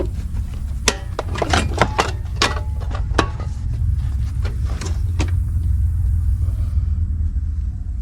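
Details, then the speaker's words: Briggs & Stratton Vanguard 20 HP V-twin zero-turn that lost power when hot, after replacing the weak ignition coil, started with only the right cylinder plugged: a few sharp clicks, then steady low rumble. "Okay, so now I'm going to start it without the left side plugged in. I'm just going to start it with the right side plugged"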